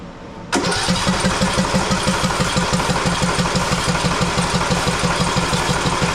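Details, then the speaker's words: Husqvarna YTH18542 riding mower, 18.5hp Briggs & Stratton Intek that died during use: after carb cleaner is sprayed into the carburetor, the starter churns it steadily at about three beats a second but it never fires, so not a fuel problem; spark plug checked next. "full nothing absolutely nothing okay so evidently it's not a fuel problem"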